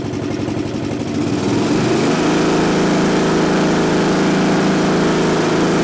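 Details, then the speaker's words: Craftsman LT1000 riding mower, sat outside for years, after carburetor reinstalled and anti-backfire fuel shutoff valve plugged in: starts within seconds and settles into a steady even single-cylinder beat with no misses; normal running. "up she started right up just like that so that's all the issue was after I put the carburetor back on so the engine's taken care of"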